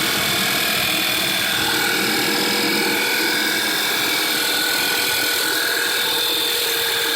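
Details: 2008 VW Passat 2.0 TSI idling with a fast, light top-end tick about three or four per second over a hissy idle. It started a few days ago and does not come from the tensioner, water pump or new oil pump; source unknown.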